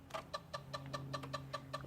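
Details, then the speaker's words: Zenith Z-NoteFlex NTB005 laptop hard drive booting from a DOS disk after a disk I/O error: sharp clicks about five a second over a steady hum as it struggles to spin up. It later gives a data error reading drive C and fdisk fails. "oh that sounds like crap wow that really sounds like crap it seems to still be working but damn that sounds bad"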